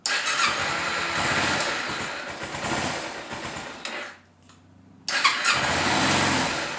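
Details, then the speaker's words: 2011 Kawasaki Ninja 250 idling on choke after battery charge: uneven, ragged note that nearly dies then catches; dies as soon as choke is turned off. Owner concludes carburetors need cleaning. "soon as you turn the choke off it it dies let's hear it one more time"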